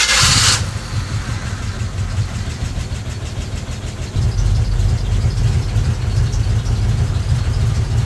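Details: Square-body Chevy Blazer small-block Chevy, off the road 20 years: starter churns about three pulses a second and never catches, cranks but won't fire; fuel delivery being checked, cause unconfirmed.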